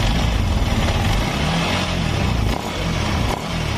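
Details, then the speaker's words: Yamaha NMAX scooter engine, which had been hard to start, stalling and noisy, runs smooth and steady after checking the rocker arm and cam chain tensioner and replacing a part near the primary pulley, with no ticking or rattling. "bohong suaranya sudah lembut besok jadi suaranya sudah roba yang polisinya sudah tidak ada permasalahannya"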